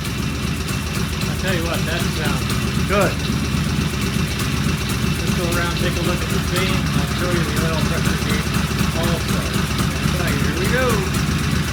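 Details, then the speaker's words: Vintage British motorcycle "Fred" idling after its first start following repairs, primary cover open: steady, even idle with a crisp exhaust beat and no knocks or misses, running cleanly, judged a better idle than another bike just finished. "Well, as I am want to say, wow, you can't beat that with a stick. Wow, that sounded good."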